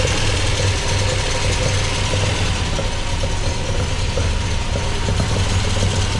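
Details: MGB with freshly rebuilt Weber 45DCOE carburettor (new jets, float height set), idling cold before reaching temperature: deep, lumpy, slightly uneven beat; owner suspects one choke working harder than the other and the mixture slightly rich, no smoke; unconfirmed.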